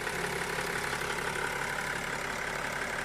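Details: BMW X5 E70 M57 diesel at idle with the oil filler cap closed; steady, even diesel clatter with no extra knock, normal idle.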